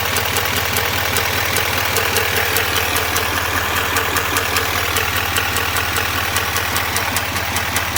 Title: 2021 duramax l5p ticking noise